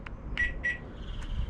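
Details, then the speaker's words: 2012 Range Rover Evoque won't lock: two short high beeps as locking is tried, the system refusing because the rear tailgate latch isn't closing; suspected electronic or intermittent fault in the latch mechanism, possibly needing replacement. "so the car won't lock so you get that double beeping noise hey we shall open it look at this horrendous noise it sounds like the electronic path of this lock mechanism doesn't seem to work or it's working intermittently you can hear the car not walking uh not closing properly"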